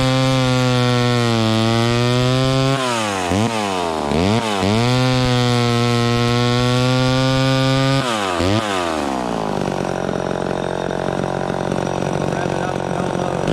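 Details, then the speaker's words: Vintage chainsaw cutting wood after high-speed mixture richened slightly: holds a strong clean scream, dips and recovers crisply under load, steady cutting without stumbling; running right. "um there that seems right to me it was it was cutting okay the first time but then i rich ended up just a little more on the high end and it seemed to be a little happier there"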